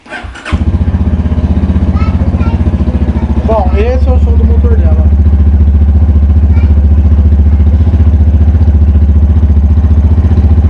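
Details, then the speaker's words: 2010–2011 Yamaha Fazer 250 with 55,263 km and a straight-through exhaust, idling fast and even after start-up with a rough, rattly edge over the exhaust beat that worsens when warm; abnormal engine noise, source not yet found. "esse é o som que ela tá fazendo tá esse é o som que ela tá fazendo vou usar uma e quando aquece fica pior ainda aí que o negócio fica mais gritante"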